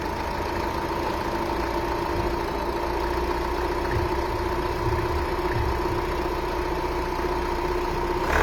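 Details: 2.0 dCi diesel at steady cold idle after a cold start, a constant whistling tone held above the engine note throughout; abnormal cold-start noise, cause unknown.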